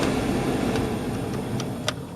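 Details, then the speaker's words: 2007 Nissan Xterra cabin blower after the owner swapped out filthy cabin filters; he had suspected a leaf in the blower. The fan is now much quieter and runs on all speeds: a steady, smooth air whoosh with no squeal, rattle or scraping, only faint clicks. "as you can see now the fan is much quieter and it runs on all speed that were in good shape"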